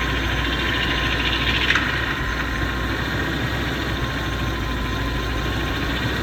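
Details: BMW M73 V12 at a busy idle with a steady, loud whirring hum riding high over the engine. It comes and goes every few minutes as if a pump were starting and stopping. Source not pinned down.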